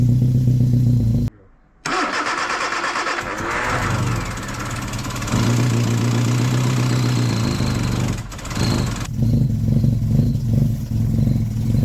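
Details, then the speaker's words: Freshly rebuilt 1311cc A-series engine, first start, full choke; catches and runs rough and lumpy, won't rev at all, oil light goes off. Ignition timing too retarded. "doesn't want to rev. Okay, it does not want to rev at all, but it ran."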